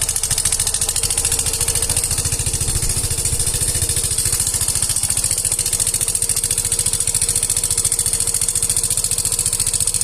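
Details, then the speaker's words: Yamaha Fino 125 scooter idling with loud, rapid metallic clatter (keletek-keletek) about three or four a second from the engine top end; owner's complaint is a very noisy engine. "Pada video kali ini saya kedatangan Yovino 125 dengan kendala suara berisik dari bagian mesinnya teman-teman. Teman-teman sudah melihat tadi, mendengar bahwa suaranya sangat berisik sekali."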